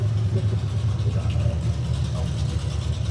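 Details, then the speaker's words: 1972 Mustang convertible, 351 Cleveland V8 with Edelbrock 4-barrel intake and new headers, no exhaust fitted: loud, deep, lumpy rumble with raw unmuffled crackle at idle and blips; running fine on open headers. "It needs a camshaft. Oh, does it need a camshaft?"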